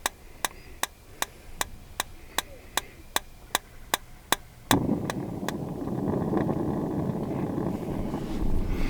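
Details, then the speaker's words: RV refrigerator on auto, running on propane with no shore power, after bleeding air from the gas line: sharp igniter ticks about two and a half per second, then a soft rush as the burner catches and clicking stops; normal ignition. "Could you hear it? Lit right up."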